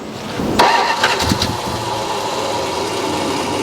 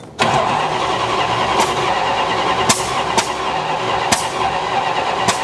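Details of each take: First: 1969 Dodge Coronet V8 that had sat for a while and was idling high, running with a fuel leak. Short crank, fires and picks up, then settles into a steady, even idle with no misfire or stumble. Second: 1969 Dodge Coronet 340 V8 cranking with Dr Pepper poured in the carb; five sharp irregular pops without firing, spark popping out of the carburetor; suspected timing 180° out or wrong firing order.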